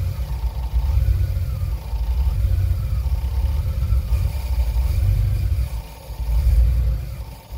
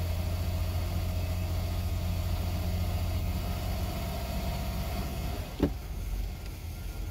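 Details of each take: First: Boat engine with Holley Sniper EFI idling: deep rumble that swells and sags unevenly, with a solenoid clicking on and off after a dual-battery install. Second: Boat engine with Holley Sniper EFI, just started at the ramp on the trailer, briefly warmed: low, steady idle hum with constant pitch, no hunting or stalling; solid idle before shifting into gear.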